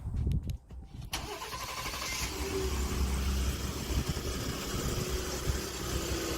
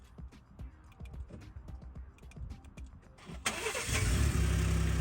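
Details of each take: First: Ford EcoBoost after cam phaser replacement: cold engine cranks, catches and idles with a loose, busy metallic rattle from the turbo wastegate, recorded without the fix springs installed (before repair). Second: Ford EcoBoost twin-turbo, after adding tension springs to both wastegate actuators to fix rattle following cam phaser replacement: cranking chuffs, then an even, strong fast idle with absolutely no wastegate rattle. Normal cold start.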